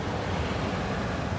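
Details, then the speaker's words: Old ICP gas furnace with failed fan timer board, blower temporarily jumpered by sistering a wire onto the transformer wire with a double spade connector to run heat: steady, even rush of air, soft low hum, no rattle or scrape; blower runs smoothly. "So I just sistered along with the transformer wire. And I'm going to move the cooling speed wire out of the way there and stick this on there. And there comes our fan."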